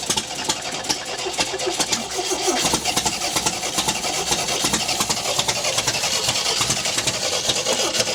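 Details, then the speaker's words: 1974 MGB GT sitting 29 years: engine fires with ragged, uneven patter, never settling to clean idle; float bowl leaking on rear carburettor, won't run on tank fuel, ignition timing being adjusted (thought too far advanced). "you can see the float bowl is leaking on the on the back carburetor oh that's much better"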